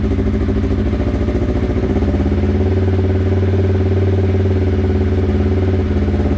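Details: Polaris RZR 1000XP first startup after fitting new Flowmaster XDR dual exhaust: engine catches and settles into a steady throaty run, blipped up and back down evenly; normal cold start and revving.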